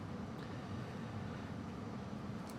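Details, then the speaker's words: Carrier Infinity 98 modulating furnace, installed May 2014, all original, first startup of season: blower runs alone during system check of duct static pressure; steady even low air rumble, no knocks or scraping: normal. "it goes through a system check and right now it's checking for the static pressure in the duct work and everything uh make sure there's no problems so that's why you hear the fan blower running but nothing else"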